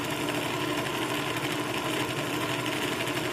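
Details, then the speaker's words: Sewing machine bobbin winder not engaging: on the foot pedal the motor and gears whir with a fast, even chatter but the winder stays put until prodded; a deteriorated bobbin winder rubber gasket is suspected. "It's not moving. You can hear it. You can hear the gears turning inside, but this will not move."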